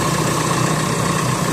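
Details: VW Crafter 2.0 turbo diesel at idle: thin mid-pitch whistle over the diesel clatter; turbocharger failed and needs replacing.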